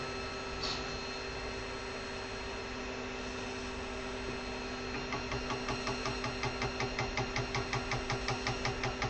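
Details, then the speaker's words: Brand-new Creality Ender-3 V3 3D printer just unboxed, extruding: regular clicking near three per second over steady fan hum as the extruder gear skips; filament caught in the extruder, jam cleared by dismantling the printhead. "so I reckon get a few a filament I had got caught going to need p a few things off sounds like it's caught in the extruder"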